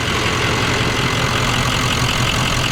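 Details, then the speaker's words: Adventure bus turbo V8 after the engine was reinstalled following a bad cam: loud, steady, even idle with no ticking or stumbling; engine sounds much better and healthy, turbo loud. "And then Truckworks put the engine back in, and they got it running. So let's cut to that footage. Oh yeah, that sounds so much better now."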